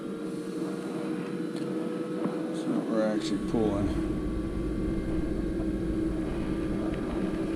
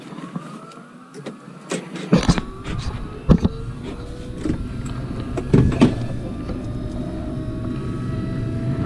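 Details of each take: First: Carrier Infinity propane furnace after dead birds removed from flue pipe, pipe held in place: steady, even inducer hum holding pitch without ramping, then igniter; normal inducer operation, furnace fires. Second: Carrier Infinity furnace in pressure switch fault: the inducer whirs to a rising hum while debris rattles and thumps down the flue pipe. Birds found in the flue were blocking the exhaust.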